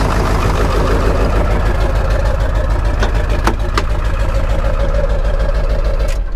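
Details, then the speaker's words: Ford 7.3 Powerstroke diesel truck at idle: deep, lumpy, shaky idle pulsing about three times a second with choppy exhaust. Faulty injectors cause the rough idle, and it needs injectors. This one smooths up after about 30 minutes of idling. "this one actually Smooths up after about 30 minutes idling this needs injectors"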